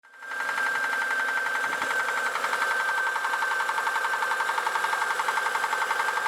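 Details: Engine suddenly started knocking, car taken off the road: quick regular tapping, about three to four per second, over a steady mid-pitched drone; cause not yet known.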